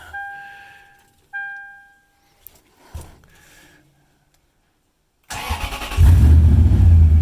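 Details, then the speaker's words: 1951 International rat rod with a 4Runner cab, first start after extensive rewiring. A couple of chimes, then a quick crank that fires and settles into a strong, steady idle: a normal start. "Alright. She's alive. Awesome."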